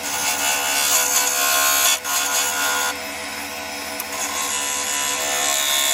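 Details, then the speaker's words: Woodturning lathe, half-inch spindle gouge shear-cutting end grain of very hard yew log for goblet: harsh buzzing hiss with steady ringing tone, rough and chattery; heavy tool vibration from hard end grain. "there you'll notice from the sound that there's an awful lot of vibration going on here uh I'm obviously turning into end grain which is always hard anyway"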